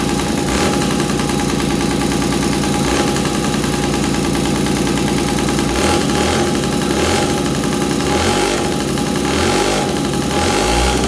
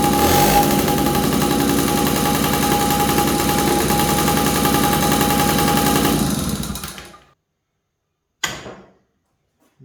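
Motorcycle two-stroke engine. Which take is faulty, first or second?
second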